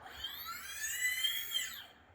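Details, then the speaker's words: Agricultural drone motors 1 and 2 after ESC calibration with a servo tester, dial turned back toward 9: smooth whine rising and falling as they spin up and slow, no rattle or roughness; normal motor spin-up. "1번과 2번 모터가 이렇게 회전하는 걸 보실 수 있습니다. 1번과 2번 모터는 캘리브레이션이 다 됐습니다."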